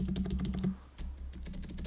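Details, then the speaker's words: GoPolar TKL keyboard converted to Silent Cream Yellow Pro tactile switches with reworked modifier stabilizers: soft, dull key taps with no rattle after presses; modifier stabilizers quiet, though the space bar still rattles. "I don't I don't hear any rattle here"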